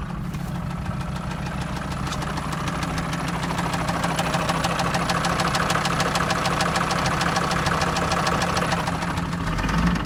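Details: Mercedes OM662 diesel at idle: regular sharp tapping over the clatter, about three knocks a second; engine knock of unknown origin.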